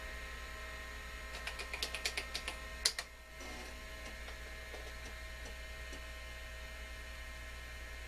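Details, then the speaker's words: Amstrad PC1512 vintage computer's old hard drive during a DOS boot attempt: steady spin hum with bursts of irregular clicks and ticks, vibration shaking the table, drive not detected; rough-running, unhealthy hard drive. "that doesn't sound healthy does it that hard drive really does not sound healthy"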